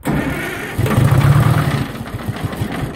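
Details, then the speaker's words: Detroit Diesel 453 start attempt after replacing leaking injector, intake off: heavy uneven low chug about four beats a second, stumbling and not staying running; owner suspects air in fuel line/low fuel pressure, plans to bleed fuel system. "that wasn't the problem okay that sounded better so maybe uh the thing didn't stay running i don't know we'll see i might have to bleed the fuel a little bit to get that staying running"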